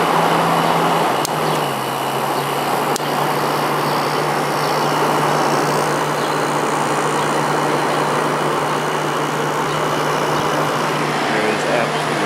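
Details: Vintage Whirlpool Coolerator 7,000 BTU air conditioner with Matsushita rotary compressor needing a new start capacitor: about a second in, a steady low hum rises over the fan rush as the compressor starts, then runs evenly without stalling.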